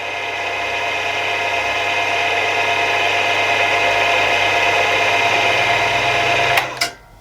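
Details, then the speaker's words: Milling machine spindle after new tapered roller bearings, run at highest speeds one and two, smooth steady hum, no rumble, grinding or knocking before spin-down; owner notes bearings may need bedding in and top nut retightening later; normal spindle running. "and yeah i'm pretty happy there's no noises there"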